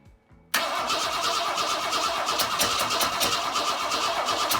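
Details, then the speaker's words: 1962 Ford Falcon inline engine, started with no carburetor and only a taped washer with a quarter-inch hole metering air at the intake: it catches after a quiet start and runs ragged and uneven with irregular pulses. Rough running; needs a carb. "didn't really work better alright yep I need to get a carb on this thing"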